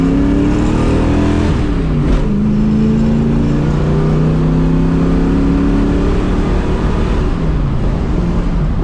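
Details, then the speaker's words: 1968 Ford Mustang 302 V8 on the road with new JBA tri-Y headers, X-pipe and dual exhaust; a deep burble drops smoothly on downshifts and coasting, and the earlier popping on the overrun is gone; normal exhaust on deceleration. "And uh that is gone now. It sounds like a muscle car. Now it does sound more like a modern 50 than it does an old school muscle car."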